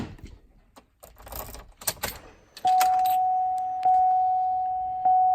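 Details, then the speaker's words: Hummer H3 just fitted with a new Century 67MF battery after the old one went flat: key-on clicks and relay ticks, then a steady chime about once a second; normal warnings, electrics live, unlike with the dead old battery. "Well, that's a good sign. It wasn't doing any of that with the old battery when it died."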